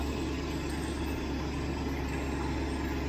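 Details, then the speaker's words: Freshly rebuilt 1967 Mustang 390 V8, fully warmed with the thermostat open: an even, smooth low rumble at idle with no ticking or knocking, sounding like it is firing on all eight cylinders. Healthy idle. "All right, engine is warmed up. Thermostat is open. Idle is nice. Really sounds like it is hitting on all eight, at least sitting here at idle."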